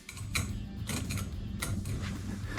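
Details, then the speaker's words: Norwood BladeMate Pro sawmill blade sharpener with the wheel adjusted down a tiny turn; steady motor hum and a light brief scritch about every half second as the wheel just touches each tooth front and glances off the top; correct grinding wheel contact. "just touching the front of that tooth that's exactly where I want it for a good sharpening and it just glanced off the top of here"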